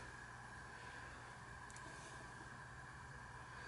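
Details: SMC Laguna metal-blade industrial ceiling fan run on a capacitor decade box at 5 µF, drawing about 0.19 A, coming up to speed: soft steady motor hum with faint high tone, no wobble, ticking or scraping; normal running.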